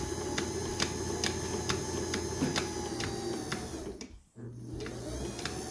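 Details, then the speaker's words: 1977 Kenmore 158.19412 sewing machine running: even ticking about twice a second over a light hum as the drive belt rubs the plastic side cover; the fix is to loosen the set screw and realign the belt. "It's really hard to see it, but that noise is this belt rubbing on the plastic side cover. So this cover right here, it's rubbing."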